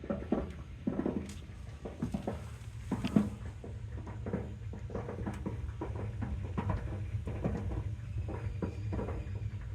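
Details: Water heater from 1987: irregular light pops and crackles over a low steady hum, probably sediment boiling at the bottom; heater needs replacing.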